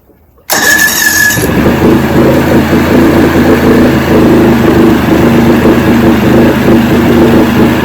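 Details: 1970 Evinrude 85 hp outboard with hydroelectric shift, about 50 years old, new water pump impeller, running in water container after forward/reverse shift test, in neutral: catches quickly, steady even idle, no misses; carburetors good at idle.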